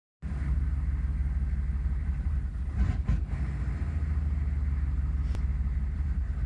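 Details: 1996 Chevy 6.5 turbo diesel with no throttle at idle gives a deep, uneven rumble with a couple of brief stumbles; the rough idle stops when revs are held slightly up.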